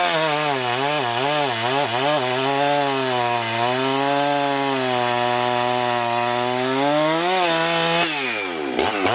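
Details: Husqvarna 394XP chainsaw, freshly rebuilt and ported, first shakedown runs cutting a large log: steady high whine sags slightly but holds pitch through the log without stalling or stumbling. Runs normally; may lean the low jet slightly and richen the top end.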